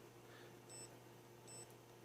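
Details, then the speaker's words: Multimeter continuity beep on a Pico Owl brushless whoop's RacerStar 1103 8000kv motor leads after a motor issue: two short low-buzzer beeps in a quiet room, showing continuity and intact windings. "I got out my trusty $15 meter we turned that on this one has a really low buzzer there's the sound hopefully you heard"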